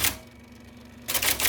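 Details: 1979 IBM Selectric II (non-correcting), revived after fixing a miswired plug and cleaning and lubricating: one crisp strike, pause with motor hum, then a quick run of sharp, even type ball clacks; normal typing.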